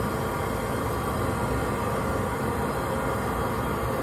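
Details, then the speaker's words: Riello oil burner motor running with a steady rough grinding and growling whine from failing bearings, growing louder over time; it has not yet failed. "That's the burner motor failing. That's the bearings in the burner motor. They're no good."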